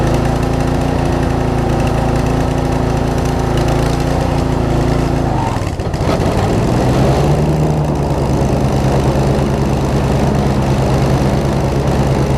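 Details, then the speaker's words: Circa-2015 Snapper rear-engine rider, push-mower-type engine, long stored, after carb clean: idle dips and drags as blades engage, then settles with uneven beat; a little water suspected still in the fuel; slight misfire under load. "they really don't like to have a lot of load on seems like a little bit of water in the fuel still doesn't really want to run right but it's still running"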